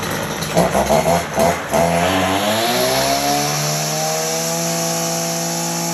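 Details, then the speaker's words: STIHL FS240R trimmer that started but would not rev up, after the spark arrestor screen was cleaned and refitted, run without choke. Revs up smoothly and holds a steady high full-throttle scream with no bogging or misses. Normal full-throttle run. "does all right as you can see back to picking up RPM like it should running it full power"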